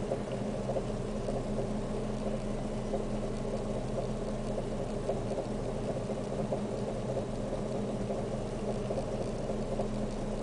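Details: Fiat Siena 1.6 petrol idling, heard from inside the car: a steady low drone with a slightly uneven, pulsing low end, and a constant shake felt at idle.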